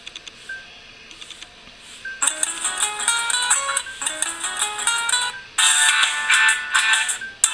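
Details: Oukitel phone that had given no ringtone, only vibration, despite full volume: after selecting another ringtone, a bright electronic melody plays cleanly at full volume from the speaker. Normal ringtone playback.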